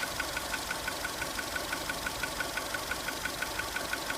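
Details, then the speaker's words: 2002 VW Polo 1.4 petrol at idle with engine light flashing and code P0304: sharp, even ticks about three a second, a cylinder 4 misfire caused by a faulty ignition coil. "You can hear the misfire from number 4."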